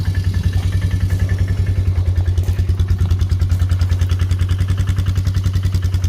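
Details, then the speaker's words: 1999 Polaris ATV bought for $350, cold start after repairs with seat refitted: steady, even idle thump with a firm regular beat, nothing rattling or missing; engine runs well. "it's cold start. It didn't show me touching the exhaust, but it runs amazing."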